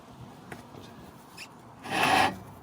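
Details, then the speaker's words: Mercedes Vito W447 front brake, wheel off, pads about 3–4 mm left: dry rasping scrape with a brief grind between quieter rubs as the disc is turned by hand; grinding noise before pad replacement, cause suspected, not confirmed. "I'll just show you the the sound if you can hear it. It's it's really like grinding noise."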